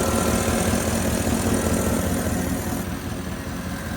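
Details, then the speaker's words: Porsche Cayenne GTS 4.8 V8 after oil and filter change, new air filters and spark plugs, compressor pipe reconnected: deep even idle with steady low burble, no misses, knocks or ticks; normal idle. "Sounds glorious now."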